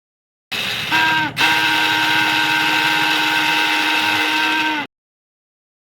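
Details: Hero Splendor/Deluxe BS6 motorcycle starter cranking with a steady, high metallic whine from a dry, dirty armature bush; fix is removing the starter, two 8 mm bolts and screws, and servicing the armature.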